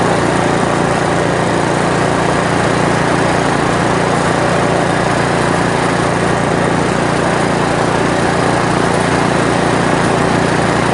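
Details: 1970s Briggs & Stratton generator engine, carburetor not yet cleaned: small single-cylinder engine holds a fast, steady buzzing run with no misses or surging; running fine.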